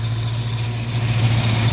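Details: 1969 Mustang V8, timing set to 14 degrees instead of factory 8–10 because a cam is suspected, vacuum advance disconnected; deep steady lumpy idle with an even beat, no misses or knocks. Normal cammy idle.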